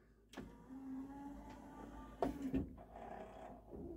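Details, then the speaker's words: Yamaha CDC-625 5-disc CD changer that would not open: small tray motor hums and strains, then the drawer gear clacks and clunks without finishing its travel; tray jammed, cause not yet found. "That is making an awful sound. So no, we're gonna open it up. We're gonna service it, see what kind of belt opens this thing up."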